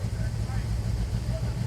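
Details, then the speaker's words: Warm V8 of a 1970 Dodge Challenger R/T: the carburetor choke keeps closing, making the mixture too rich. Lumpy, stumbling idle with dropped pulses, a misfire from fouled spark plugs. "I'm sure now the plugs are fouled up. The choke closed on the carburetor."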